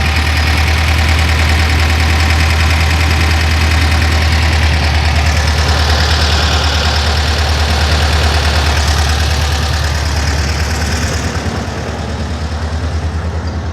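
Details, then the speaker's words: VW Kombi engine that had a noise, after replacing a broken small ring: deep steady idle about three beats a second, even with no knocks; running normally after repair. "Quebrou isso daí. O anelzinho lá que vai lá, eu fui e troquei ele e agora quando voltou funcionar normal."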